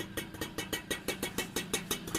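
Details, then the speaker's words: Super XL motorbike after engine rebuild with new crank, clutch bell, clutch shoes and bearings: crisp even popping about six beats a second, no knock or rattle; normal idle. "வண்டியில மாட்டியாச்சு உங்களுக்கு நான் எப்படி sound வருதுன்னு காட்டுறேன் பாருங்க முன்ன இருந்த sound கொஞ்சம் கூட இல்ல"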